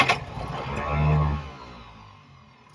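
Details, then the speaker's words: Restored 1929 Chevrolet International truck six, first start in years: cranks, catches briefly with a short rising rev, then dies; fuel starvation because the carburetor metering jet was screwed in tight, since loosened. "just loosened off the metering jet because it was screwed in tight so we couldn't get any gasoline"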